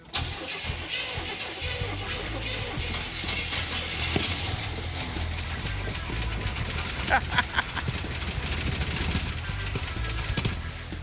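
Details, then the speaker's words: Big V8, one dead cylinder with no compression, started on poured-in gas: stumbles and chuffs unevenly with no steady idle over loud background noise; rough running from choke stuck completely closed. "that sounds really bad is this how it runs oh the chok's completely closed hold on let me get a screwdriver"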